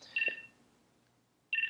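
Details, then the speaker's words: Beltronics GT-7 radar detector with voice alerts off, tones only: short bright chirps in quick clusters, pause, then rapid beep burst; radar detector alert beeps showing band and signal strength. "This is what I prefer. I like the sound. When it goes off, just give me the beeps, and I'm listening to the signal strength."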